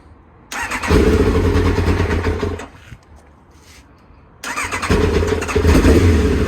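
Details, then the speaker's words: Kawasaki Ninja ZX-9R revived after sitting outdoors under a failed cover for over 4 years, started with easy-start spray into the air vents: loud, deep exhaust beat catches and runs strongly; normal running, fuel leak found afterward. "got it started alhamdulillah it's really loud in the back Garden neighbors are getting worried"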